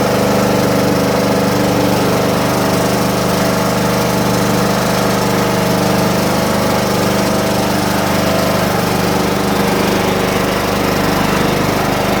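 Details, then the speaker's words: John Deere mower, cold start on a 47° morning after sitting with a weakening battery: loud, even single-cylinder chug at steady speed with no misses or knocks; running smoothly while warming up. "As you can see, she's back running again, which is good. So, I figured I'd take a little boot there. Let the motor heat up."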